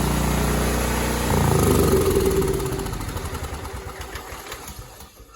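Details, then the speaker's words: Cub Cadet 2166 with 16 hp Kohler Command single-cylinder engine after new fuel pump, primed with gas in top, low tank: thumps along evenly with no misses or knocks, winds down smoothly; normal running. "So as you see, it was going. It's going. It sounds good."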